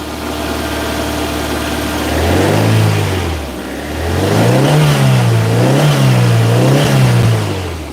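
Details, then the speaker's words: Toyota MR2, 40 years old, shortly after a cold start with high idle, smelly exhaust and smoke put down to condensation: settled idle then quick accelerator blips that rise and fall cleanly back to even idle; normal throttle response. "I might blip the accelerator a bit. Oh, she's stinky. A bit smoky too. That's just condensation. Are you ready? We'll give her a blip."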